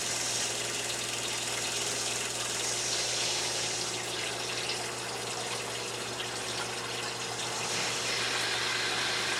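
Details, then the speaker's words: New Surflo 4008 Revolution water pump in camper replacing 1997 Surflo 2088 that gave low pressure; steady electric hum under rushing water with shower on, even pressure, no surging or chatter, surprisingly quiet: normal running under load. "this pump is working a new pump is really quiet surprising"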